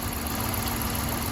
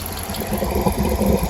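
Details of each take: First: Chrysler 300C 5.7 Hemi, warmed up after bleeding the cooling system: quiet, even idle with no lifter ticking, lifters settled and sounding healthy. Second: Chrysler 300C 5.7 Hemi after a head gasket repair, idling while the cooling system is bled and the reservoir bubbles a lot: an uneven idle with irregular loud, firework-like pops and knocks. Cause unknown; owner fears a head is bad.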